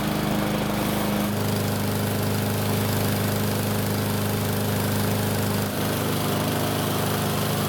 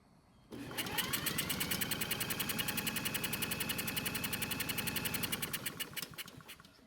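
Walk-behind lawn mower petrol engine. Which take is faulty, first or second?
first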